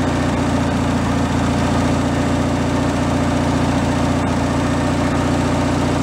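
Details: Free derelict Craftsman riding mower engine, started by key on fresh fuel after repairs, warming up before an oil change: steady, even idle with a constant low drone, no misses or surging; normal idle.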